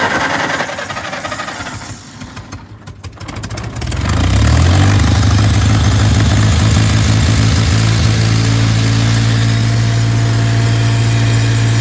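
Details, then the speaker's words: Tractor with brush hog, in neutral, fresh gas just added: engine sags and nearly dies when revved, then recovers to a lumpy idle; water in the fuel suspected, and something is leaking. "That's not good. That did not sound good at all."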